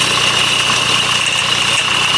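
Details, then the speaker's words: 2008 Honda CR-V 2.2 i-CTDi diesel at idle: thin high steady scream over diesel clatter near the alternator, not belt slip; failing alternator freewheel overrunning clutch pulley, fixed by replacing it (OEM 31141-RBD-E02). "so you can hear the noise it's pretty high and it doesn't sound like the Bel when it's like slipping no it sounds like much higher than the belt it's like screaming from the engine or like from around the engine maybe"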